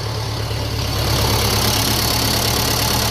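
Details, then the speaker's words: 1957 Ferguson FE35 TVO tractor first start after restoration work, choke on, tickover unadjusted: rough low idle with faint thin whine riding over it; source unconfirmed, heard as carburettor-flange air leak. "Okay, so there's a little whine off something there."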